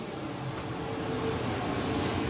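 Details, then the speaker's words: Dometic RV furnace test-fired after repairing and re-adjusting its sail switch, thermostat raised to about 75–76°F: it lights and runs with a steady, even blower rush and low hum, no scraping or rattling. The repair worked and the furnace runs normally. "And it just fired up. Sounds wonderful. I think we got it fixed."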